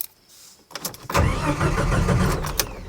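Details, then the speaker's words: 1989 Jeep Wrangler with aftermarket fuel pump, crank no-start after refueling; no pump priming heard. Starter spins the engine evenly but it never fires; no fuel pump power, traced past relay and grounds to a failed ECM. "First thing I want to know is the fuel pump even turning on? So I don't hear it priming."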